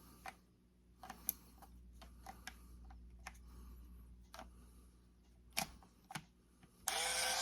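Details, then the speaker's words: Canon camera from auction bag after fitting new batteries in place of dead ones: sharp little clicks then a brisk high motor whir as the drive powers up and cycles normally. "Ah, hear that? Sounds like we just had some dead batteries."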